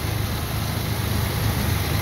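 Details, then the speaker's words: 2009 Ford Ranger FX4 4WD automatic with the 4.0 L engine and 66K miles, idling under the hood with the AC compressor running: steady, low and quiet, with no belt squeal, valve tap or knocking. "nice and quiet no belt squealing no funky noises no valve Taps it's a really really good engine is 4.0"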